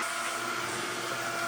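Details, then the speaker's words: Newly installed Red Lion shallow well jet pump after priming: steady even hiss and whir, no rattle or surging, nice and quiet, building pressure; gauge bouncing, owner suspects pinhole leak in suction line. "So there we go, it's nice and quiet now. Starting to build some pressure."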